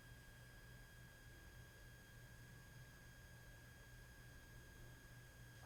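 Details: Aiyima A07 amplifier on an Aiyima 48 V 5.2 A power supply, volume raised to 75–100% with no music: a thin steady whistle near 1.6 kHz with faint higher tones over quiet hiss and low hum. Noise from the power supply leaks through.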